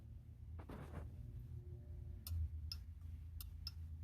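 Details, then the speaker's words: Bobcat 773 skid steer, park brake solenoid replaced, limit switch arm slightly bent to adjust it: quiet shop, then a few crisp, light clicks as the lever trips the switch; switch actuating properly. "All right, I've got the steering arm back in. I did go ahead and bend that limit switch just a little bit, so see if you can hear this."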